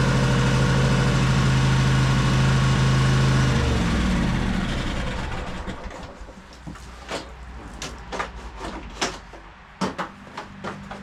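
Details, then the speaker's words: High-hour Cub Cadet 2186 shaft-drive lawn tractor with Kohler engine, after new coils and air filter: runs evenly a few seconds, then sags and dies. Fuel starvation despite gas in the tank, caused by a split fuel line. "It won't stay running now. Some gas in the tank. Looks like it's not getting fuel."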